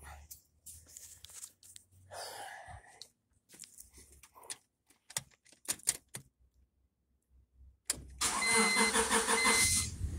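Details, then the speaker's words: 1996 Honda Civic 1.6 D-series, whose leaking spark plug tube seals had filled the tubes with oil and caused misfires, started after sitting overnight with plug wires refitted; quiet handling noises, brief cranking, then it catches and settles into a steady run; normal start. "hey there we go start it up i'm gonna let it warm up"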